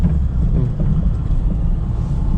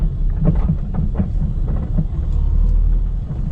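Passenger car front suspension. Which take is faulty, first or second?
second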